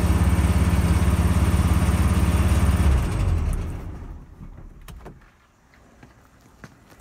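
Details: 1974 Volkswagen, after bypassing the seat belt interlock relay that prevented cranking (starter tested good): steady, even low putter for about three seconds, then shut down; engine starts and runs normally.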